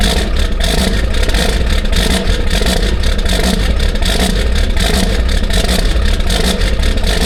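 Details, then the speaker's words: Diesel truck sitting since 2017 on old fuel, cold start at 18°F: a long, steady starter grind with even compression beats that never catches. Extended cranking with no start; owner suspects dead glow plugs or gelled diesel. "You might have every bit of none of some of the glow plugs. It's either that or that diesel. This thing been sitting since 2017 and all that diesel's still in it. It might have froze up a little bit."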